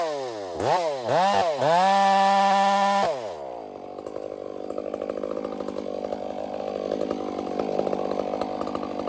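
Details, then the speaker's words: Chainsaw cutting a hazard tree: a few sharp revs, then the note wavers and swells unevenly once it bites into wood and works hard, surging as if it has a power band; cause unknown. "That saw is very strange. I feel it when it gets in the wood and starts working hard. It's like it's got a power band."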